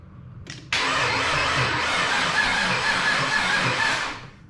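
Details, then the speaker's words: Nissan Patrol with L98 V8 swap, before first start, fuel pump disconnected: about three seconds of steady starter whirr cranking without firing to build oil pressure before starting. "So just a note, I've got the fuel pump disconnected, so I'm turning it over to get oil pressure without starting the car because I don't want to start the motor with no oil pressure."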